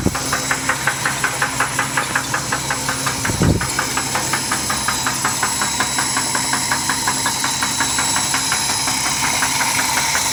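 Steady idle with a sharp, evenly spaced knock close to three per second riding over it: a clear internal engine knock.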